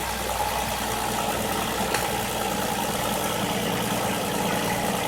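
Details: 2005 Nissan Murano in for a misfire without check-engine light, after swapping an ignition coil and restarting; smooth, even idle with steady rhythm, no stumble or missed beat; all cylinders now firing normally.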